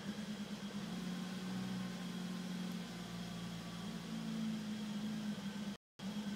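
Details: BMW E34 M5 idling: low steady hum with a slightly wavering, uneven beat and faint hunting in pitch; a rough idle, described as a small issue.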